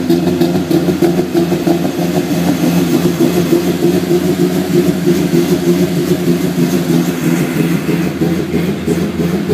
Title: e30 sr20det first start, wrong base map causes rough idle.